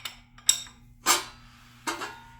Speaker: that noise is the connecting rods tapping the windage tray